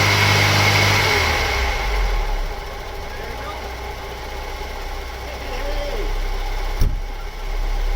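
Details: Opel Omega A GLS 2.4i CIH petrol estate, left-hand drive, parked in a barn since 2003, first start after fresh petrol added: crisp revs rise and fall cleanly, no tappet or ticking noise, running mint.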